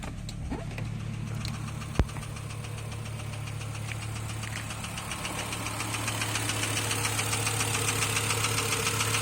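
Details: Volvo S70 T5 petrol engine running with a steady, deep rod knock tapping about three to four times a second.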